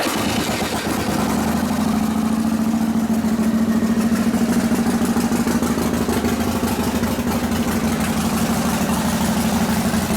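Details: 1978 Harley FL shovelhead with 93ci stroker big-bore motor, new build by Tatro Machine; in neutral, starts right up after carb tickler priming and settles into a steady loping idle, even firing pulses, no knocks or rattles, running healthy.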